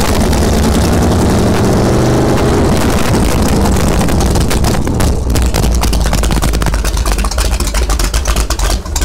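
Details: 1971 Sidewinder jet boat 454 V8 on first cold start before removal, new battery, fresh gas in carburetor: deep, slightly lumpy rumble with water splashing from exhaust; healthy start.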